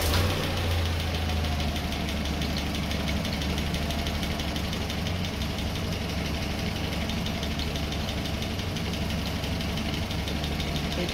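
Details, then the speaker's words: Newly rebuilt Land Rover Series 3 2.25 petrol engine, first start, idling about 700–800 rpm with rocker cover off: light quick ticking over steady rumble that quiets when a rocker is pressed; rocker clearances slightly wide. "can hear the noise reduce when I force onto the rocket here so let's do it properly and let's do the clearances"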